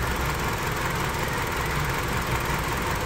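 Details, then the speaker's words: 2005 Hyundai Sonata 2.4 petrol, 169,000 on the odometer: lumpy, stumbling idle with a dead misfire on cylinder 4. The coils have supply, but the spark waveform shows no spark at all on number four, pointing to a failed coil. "and on the side of this one we have got no spark occurring at all on number four"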